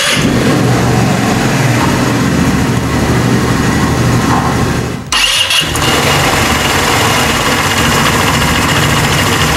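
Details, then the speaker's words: Italika WS-150 single after replacing crankshaft and its bearings: starts and runs steady and even, brief dip mid-clip, no knock or rattle; still blowing white smoke, cylinder kit to be replaced. Normal running. "ya la moto ya no tiene ruido se arranca ya anda"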